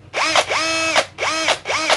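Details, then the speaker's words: NRT-Pro type B C743 unit: short bursts of harsh raspy whine over the motor tone; owner suspects the brushless motor's rotor rubbing the stator, possibly shifted during shipping. "ini untuk yang nrt-pro tipe B c743 ini bunyinya kasar seperti ini"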